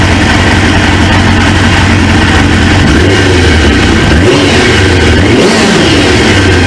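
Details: 1999 Suzuki GSX-R 750, newly installed used engine, warming toward fan-on (gauge about 143, fan expected around 220): loud steady idle with a couple of brief dips and recoveries, no knocks or misses; healthy.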